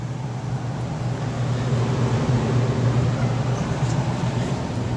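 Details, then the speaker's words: Apartment AC, no cooling, indoor blower not running, coil iced up: with the thermostat jumped red to green, the system fires up with a steady low hum and even rumble, no knocks or rattles; points to a bad thermostat. "we'll jump out the thermostat here first see if that fires it up red to green or to G oh there it is so it looks like we might have a bad thermostat"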